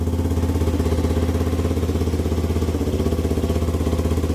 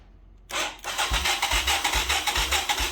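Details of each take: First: 1985 Yamaha YTM225DR Tri-Moto single-cylinder, revived after 30 years, after carb work for a sticking float and idle adjustment. Steady thump at idle with crisp throttle blips rising and falling cleanly. Runs strong and healthy. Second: 1985 Yamaha YTM225DR Tri-Moto revived after 30 years, spark and compression confirmed, battery borrowed from another quad: starter turns engine over in steady pulses about 2.5 per second but it never fires; owner suspects no fuel reaching the cylinder.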